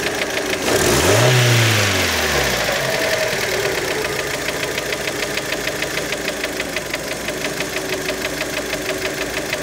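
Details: Warm Fiat Panda engine after a quick rev: steady sharp knock about three times a second over idle; engine knock, cause not pinned down.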